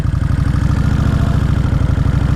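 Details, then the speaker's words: 2003 Kawasaki Vulcan VN1600 Classic, after sitting a long time and overdue for an oil change: deep, lumpy V-twin idle that rises and falls instead of holding steady, then settles; cause of the surging not identified. "that surging is a little strange but now she settled down because she wants to quiddle me that's weird"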